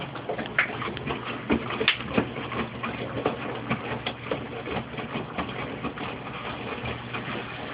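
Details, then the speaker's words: Mueller Special washing machine with a big absorbent duvet: irregular splashing surges every second or so as the drum agitates the heavy load; ordinary wash sloshing, nothing mechanical amiss. "As you can hear, the water sloshes a lot. Even with a very absorbent duvet."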